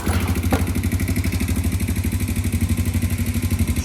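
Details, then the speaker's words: 1996 Honda TRX90 barn find after an oil and filter tune-up. Steady idle with a light tapping about three times a second over the exhaust beat; valves are loose and due to be tightened. "I'm going to go ahead and tighten these valves up as soon as I get back to the shop and y'all be able to hear the difference."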